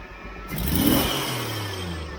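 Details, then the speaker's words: Jeep CJ-7 after lowering a fast idle: blip climbs smoothly without hesitation and drops back evenly; stumble cured, clean throttle response. "that's perfect I don't know that it's ever run that good"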